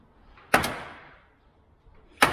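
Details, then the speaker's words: Peugeot 106 S1 Rallye: two sharp metallic clicks as a dented door panel flexes and pops; the dent needs pulling out. "you can hear that clicking on the door that's because we've also got a big old dent right here that needs pulling out and fixing"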